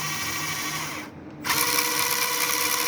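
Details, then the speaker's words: SG Pinecone Forest 2402 1:24 RC, about 1.5 months old, lifted and run in reverse: clean steady high motor whine, no gear chatter or clicking; only the motor heard, unlike forward where the central gearbox makes noise and vibrates. "See, when it moves in the reverse direction, there is no sound. Actually, it's just the motor which can be heard."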